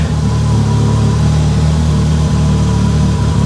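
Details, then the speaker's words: Mitsubishi Evo 8 on a startup base map, during its first start after restoration: a deep, steady idle with an even low rumble and no misses, knocks or ticks. Oil pressure is good and it is running healthy. "oil pressure is beautiful wow this sounds so good wow I'm appalled"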